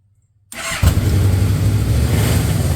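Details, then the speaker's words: Yamaha Royal Star Venture 1300cc that wouldn't start, after battery replacement: quick crank, catches and settles into deep even burble with no misses or knocks; healthy start and idle. "All right, let's see what happens. Sounds good."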